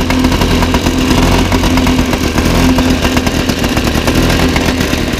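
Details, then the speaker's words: 1977 Motobécane M7 moped two-stroke at idle after full service, first start: buzzy idle with light irregular clatter from something tapping on the frame; not an engine fault. "Voilà, ça tape plus, mais je crois que j'ai un tournevis dans la poche. Et si je fais ça... Voilà, on a plus le bruit les amis."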